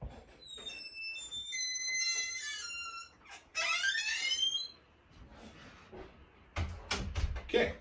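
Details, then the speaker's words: Door with two hinges, before lubrication, swung open and shut. Thin, wavering squeal rising in pitch as dry hinge metal rubs on metal: squeaky door hinge. "so we have a very squeaky door case you want to hear it one more time let's do it"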